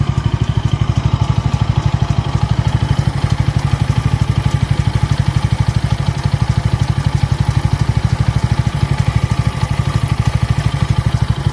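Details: Bajaj Pulsar N160 single at idle, smooth until the first service at 500 km: coarse, uneven thump about three times a second with a clattery edge; rough, noisy running, cause unknown.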